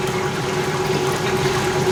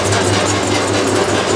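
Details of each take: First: 1989 Maytag A512 Fabric-Matic washer, 32 years old, on a Regular Fabrics cycle: a steady, even hum with a smooth pump drone and no knocking or grinding during spin and drain. It is impressively quiet, a normal spin. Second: 1989 Maytag A512 Fabric-Matic washer during agitation: a buzzy, rattly overtone over the drive hum from the loose upper back panel. A magnet was tried but it still vibrates heavily. Finding: loose panel vibration.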